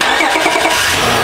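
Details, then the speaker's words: Honda Odyssey with an intermittent no-crank no-start, after starter replacement: a brief crank, then the engine catches at once on the first try and the revs rise cleanly. It restarts fine. "perfect it's started first try first try okay turn it off try it again perfect awesome"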